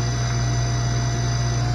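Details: Newly installed SainSmart GS-775M spindle (rated 20,000 RPM at 24V) with a collet extension on a Genmitsu 3018 Pro, at 100% speed: a smooth, even low hum with no rattle, rub or wavering pitch; it sounds healthy.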